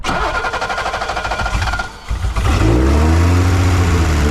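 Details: 1986 BMW 325e E30 sedan with no fuel from the injectors: even cranking for two seconds, then it catches and runs rough and low only on fuel sprayed from a bottle. Injectors were later found to be one clogged and five low-flow.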